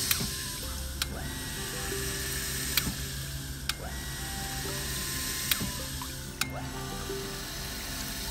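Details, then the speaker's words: Sanyo PH137AC water pump on negative suction, taps opened: steady hum, cutting in and out smoothly at a relaxed interval with a light click, no rapid chatter thanks to the white accumulator tank; normal cycling. "matinya masih halus ya, nggak kasar, nggak tek tek tek tek tek. Itu karena adanya akumulator yang putih ini, tabung putih."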